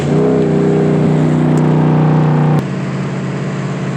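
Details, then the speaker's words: FWD Lincoln with a rebuilt but unsuccessful automatic transmission, running only with the MAF sensor unplugged. Under throttle the engine holds a high steady drone without pulling, then drops off abruptly: the automatic is slipping rather than driving. "Holy shit, it shifts hard. Just kidding, it's slipping. Sounds like a boat."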